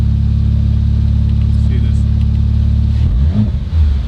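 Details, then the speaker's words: Rebuilt 2019 Audi RS5 warming up, no muffler, no longer smoking: deep, loud, even burble at idle, then a few quick blips near the end; normal revving. "sounds hecka good with no muffler it's not smoking no i think it just burned off whatever there was sounds sick"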